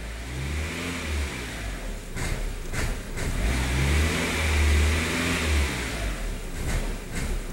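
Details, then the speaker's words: 1999 VW Passat 1.8L turbo, revved and held: revs rise unevenly then sag, surging and nearly dying; MAF reading stuck not rising with revs; eventually confirmed faulty mass airflow sensor. "it'll rev up and then all of a sudden it just wants to fall on its face and die"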